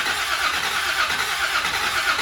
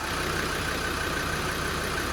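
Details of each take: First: Land Rover Defender 90 Td5 diesel, first start after top-end rebuild, fuel primed: long steady starter churn, about two uneven pulses a second, never firing; cranks without starting. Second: Land Rover Defender 90 Td5 diesel just started after top-end rebuild, smoking, held at idle for turbo oiling: steady, even smooth rumble with no tapping or knocking; sounds healthy.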